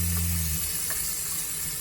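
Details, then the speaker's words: RV Shurflo water pump running off battery DC with voltage lowered by the fan: low drone runs half a second, cuts out, kicks back in over running water; short cycling. "so you might you might be able to hear the pump recycling and that the water flow is changing"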